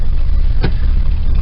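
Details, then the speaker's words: 1968 Cadillac V8 cold start on choke in cold weather, carburetor needs going through: deep, slow, lumpy idle with one sharp blip, idling very low; cause not yet found, idle rises to about 700 rpm when warm. "the choke their idols real low it's odd I haven't figured out exactly what the problem is"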